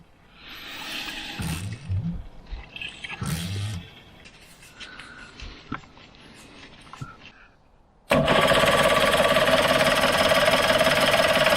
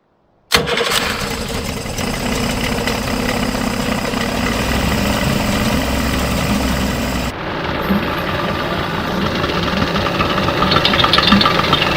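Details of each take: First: Suzuki 85 hp two-stroke outboard, around 1985 vintage, unused for six years, sparking: steady fast cranking at about three and a half turns a second never catches; fuel-starved, with the carburettor jets plugged. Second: Circa-1985 Suzuki 85 hp two-stroke outboard, unrun for 6 years, after clearing plugged carburetor jets: quick start, then a busy, steady buzz that holds without stumbling or dying; normal running.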